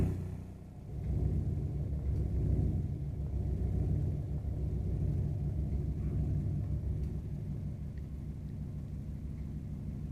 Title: Burnham Alpine Boiler makes rumbling noise #boiler #rumbling